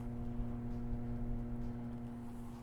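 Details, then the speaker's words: Coolman Gorilla PC case fans wired straight to Molex with no speed control: steady loud hum and whoosh at full speed, top fan exhausting air; noise increases with the top glass panel fitted. "the top fan is pulling the air out of the chassis and pushing it away and i have to say it's quite noisy now if you guys can hear it"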